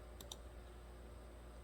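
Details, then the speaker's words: 2014 Kia Rondo with P0456/P0442 evap leak codes, engine off, heater blower off: vent solenoid commanded by scanner gives two crisp clicks over a low hum, so not stuck but possibly still leaking; smoke test later found the canister leaking. "so at least it's not stuck but that doesn't mean it's not leaking"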